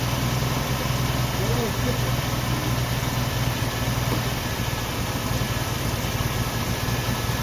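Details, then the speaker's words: 1990 Jeep Wrangler carbureted engine restarted after long storage, fuel tank refitted; low, uneven idle that lopes and wavers without a steady beat; really rough, owner plans to clean the injectors and carburetor. "it gets out of the sunlight and here she's really rough"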